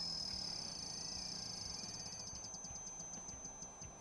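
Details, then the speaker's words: Umarex Origin PCP air rifle being filled from a tank, to about 3200 psi of its 3500 rating: high steady whistle with fast fading pulsing chatter as air rushes in; odd fill noise, cause unknown. "I don't know if you guys can hear that but this thing makes some weird noises when it's filling up"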